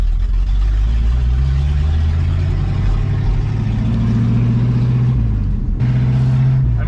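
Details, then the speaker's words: 1966 Ford Mustang on a neighborhood test drive after a clutch swap with the exhaust taken off: deep, booming, raw exhaust drone swelling under throttle with no muffling at all; loud exhaust, no mufflers. "it does not feel right driving it with this car sounding the way that it currently sounds that's not what this car should sound"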